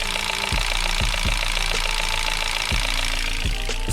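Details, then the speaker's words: Chery 8 Pro engine at idle: sharp metallic clacks about every half second over steady hum; mechanics attribute it, without disassembly, to the pulley driving the camshaft drive, a common fault on these cars; timing chain rattle. "Sog'lom motor o'zi aslida bunaqangi holatda bo'lmaydi. Chevy 8 Pro mashinalarida va Chevy mashinalarida juda ko'p uchratiladigan muammolardan bittasi."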